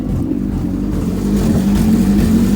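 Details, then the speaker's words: JDM B18C swapped EK Civic coupe on first start: lumpy, unsteady idle with speed wandering up; O2 sensor unplugged, owner suspects unplugged sensors or a bad ISC valve, cause unconfirmed. "You can hear it. It's idling rough as fuck."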